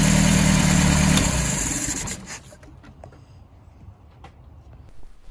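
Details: 1978 MGB carbureted four after carburetor rebuild (previously dribbling fuel from carburetor bottom): runs smoothly and evenly about two seconds then drops away quietly, no knocks or misses; starts every time, idle fine.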